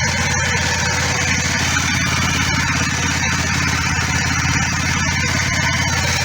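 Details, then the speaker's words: Kawasaki ER5 twin, cold start after oil, filter, air filter, plug and cap service: steady, slightly raised idle on choke while warming, even firing, no knocks or misses; both cylinders same temperature. "okay so it's okay obviously it's on choke so she's running a bit high but uh"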